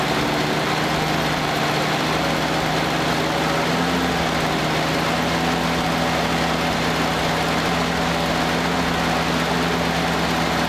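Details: 1946 Willys CJ2A Jeep four-cylinder, first run after five years in storage, choke half out, after an unexplained squeal (owner wonders if belt): steady even low idle, constant pitch, no knocks or misses; normal idle.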